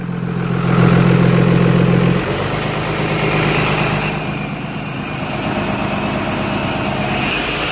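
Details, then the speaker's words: Diesel hotshot truck, exhaust brake used to warm up: deep, muffled drone held at steady high idle, choked and loaded-sounding with the exhaust brake closed. "all right so pretty much i can use the exhaust brake for you guys can hear it i can use it for warming the truck up which the truck has been warming up really well"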